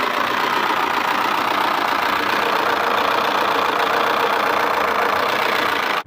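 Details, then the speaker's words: Changan Eado (逸动) 1.6L engine: loud harsh metallic clatter at idle as soon as it starts; VVT phaser internals likely broken, cam turning freely, VVT solenoid clogged with metal and sealant causing low oil pressure; chain not jumped. "这里面跳了，所以发动机哗啦哗啦哗啦响，声音特别大。长安逸动178的发动机，1.6排量，没轻油，只要一打着，哇啦哇啦哇啦响，特别响。"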